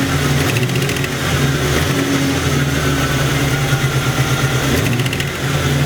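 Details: Internally stock LT1 V8, about 70-80k miles, with Hooker long tube headers: rough idle with a sharp ticking puff from the driver's side, caused by an exhaust leak at the back header port; fixed by tightening.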